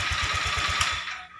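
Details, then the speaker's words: Honda Vario 125 LED scooter with earlier no-electric-start fault, restarted via starter button: engine catches and beats evenly at about eight low thumps a second before fading out; clean, healthy start. "Kita starter di tombol 5 rek. Nah tombol di sini kita starter. Nah nyala."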